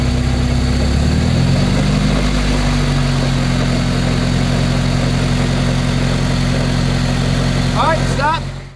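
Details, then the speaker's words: Spider autocross car on a wheels-up test: steady engine drone with the driven wheels spinning and a faint whirring underneath. It occurs on either side, so CVs are doubted; a transmission bearing is suspected, not confirmed. "so i have no idea what that noise is but i'm going to keep tracking it down as i continue to work on the car and i think i'm going to have to address it sometime this fall because it sounds like it's most likely a bearing in the transmission"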